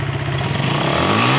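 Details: Suzuki Satria FU after fixing a carburetor membrane spring installed upside down (earlier hard starting and dying on initial throttle): now starts with one kick, picks up cleanly from idle and holds a smooth rev; normal throttle response.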